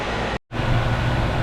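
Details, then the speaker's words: 2.5-ton split-system AC condenser after fan motor replacement, previously metallic-sounding and slow before failing; smooth, steady low hum with no wobble, scrape or rattle after a brief cut; fan now running fine. "Okay, now I'm going to turn on the main switch. And then I have somebody turn on the thermostat inside the house. Now that the fan is working fine, nice and smooth."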